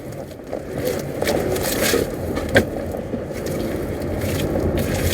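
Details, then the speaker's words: Honda HR-V on the road: one sharp hollow thump from the front over road rumble, felt even in the accelerator pedal; knock mostly appears when raining, source not yet found. "um tum tá do lado de cá a cliente reclama que tá até no pedal do acelerador é um toque bem forte também"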